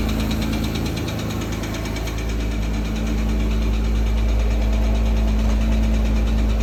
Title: Porsche Cayman S, 2008, Bore Score, Engine Sound, Ticking Sound,